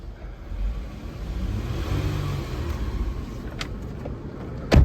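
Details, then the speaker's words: 2010 Hyundai Sonata V6 Limited, 3.3 V6, 77,000 miles, one-owner trade-in: engine fires and settles into a low, even hum without knocks or stumbles; smooth normal idle. "Those 3.3 V6s, they are so smooth. This is a nice car."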